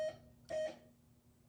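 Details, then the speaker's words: 1978 Gottlieb Close Encounters pinball (System 1), first power-on since the 1980s during restoration: two short clean electronic tones half a second apart over faint hum; sound board transistors working, tone output fine. "so it does make sound so those transistors are working"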